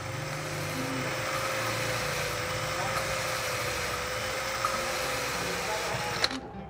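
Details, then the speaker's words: Honda Supra X 125 cylinder head being repaired for a clattering noise blamed on a worn cam stud: even drill whine with a fine, smooth lapping hiss, no rough scraping, then stops; fuel drops added during lapping; valve seat lapped smooth and finished. "Kalau sudah suaranya halus seperti ini teman-teman, jadi suara halus itu kalau dia masih kasar itu suara kedengeran gitu ya, tapi kalau sudah halus memang suaranya juga beda ya."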